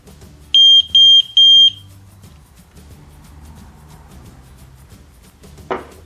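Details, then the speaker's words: ELRO Connects water leak alarm being paired to the K1 connector by touching its contacts with wet fingers; three short high-pitched beeps, each about a third of a second, in a quiet room; normal pairing signal. "I connected them and you hear the beep already but you can do is you can make your fingers a little bit wet to make sure that the connection is very powerful and you try to produce three short beeps"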